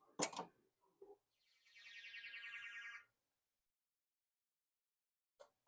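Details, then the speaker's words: Gottlieb Dragon System 1 pinball, previously not booting, powered on after removing a part: brief whir then two crisp relay clicks; MPU booting properly, displays now cycling instead of ghost-locked. "Hear those beautiful 2 clicks? That's what you want to hear. This is a game that is properly booting."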